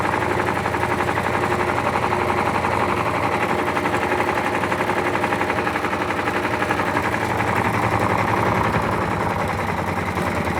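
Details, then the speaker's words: Washer LT13B, freshly washed, suspension test: fast relentless thumping about four times a second through spin, like a hammering drum; drum unbalanced, dropping heavily onto its suspension, owner says unbalanced. "Tá desbalanceado. Por causa que ela cai muito, mas muito mais na suspensão dela. Muito mesmo."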